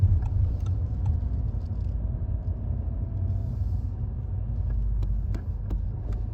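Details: Cold 2016 Audi TT Mk3 on light throttle or deceleration: low rumble with sharp chatter clacks from the driver's side, gone when warm; a worn transmission mount, cured by OEM transmission and engine mounts.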